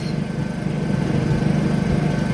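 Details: New Honda EU2000 generator on first run after oil fill, carrying about 1322 watts load: steady even low drone holding constant speed, no surging or knocking; healthy under load.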